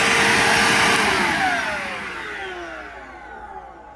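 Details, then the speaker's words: Bissell PowerGlide Platinum (3545-2) upright vacuum: after switch-off the motor coasts down with an odd whiny "wah/meow" whine sliding steadily lower in pitch, on top of the normal Bissell sound; mainly heard at wind-down, cause unknown. "Yeah, that weird, like, whiny, wordy sound that it makes is really bizarre. I don't know why it does that. Like, it has the normal Bissell sound, but then it also has that wah noise. And then, of course, you mainly hear it when it winds down, where it's like, "Meow," instead of like the normal sound."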